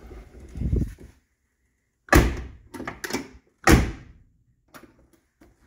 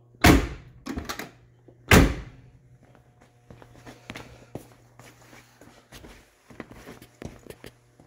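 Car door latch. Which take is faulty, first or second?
first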